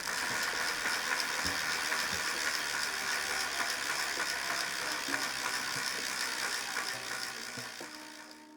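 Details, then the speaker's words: Restored 1919 Famous James bicycle after a hub rebuild and new bearings. The wheel spins freely with crisp, even ratchet clicks at about four per second, no grinding or skipping. Normal freehub clicking. "Here's a little demo of everything working. This is the free hub clicking perfectly."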